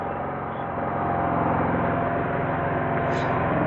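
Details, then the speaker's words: Craftsman 2300 W gas generator, new, stored boxed over a year, just started on choke then switched to run, little regular gas in tank: even steady note, no knocks, misses or surging; runs really quiet and smooth. "It's running. Got only a little bit of gas in there, so but it runs really quiet."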